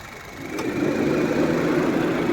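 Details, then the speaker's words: Honda City i-VTEC petrol, about 112,000 km, after belt-drive parts were replaced: steady, even idle with the AC on and no knocking or vibration. Earlier it knocked like a diesel on start and with the AC on. Normal idle. "अब वो problem इसकी बिल्कुल आप सब देखोगे वो problem इसकी बिल्कुल सॉल्व हो गया"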